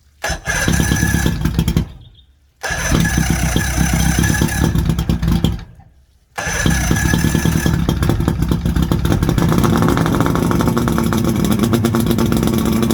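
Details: 1979 Johnson 90 hp V4 Seahorse two-stroke outboard, throttle pulled out in neutral, telltale plugged; fires, cuts out twice, then settles into a steady, even drone. Runs good, could probably use new plugs and a clean-out.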